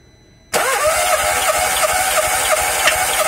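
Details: 2007 VW Polo with hard-start complaint, compression test on first cylinder, coil and injectors disconnected, throttle floored: starter turns engine at a steady, even beat, no weak cylinder; compression within spec.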